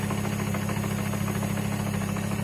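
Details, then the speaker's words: Car's first start after front end and driveline rebuilt, cold, gearbox oil not yet warm: steady idle with fast, even metallic flywheel/gear rattle at tickover, expected to get louder as gearbox oil warms; gearbox idle rattle. "now you better hear the flywheel Dinka Dinka baby as it warms up in the gearbox oil gets runny that'll get louder"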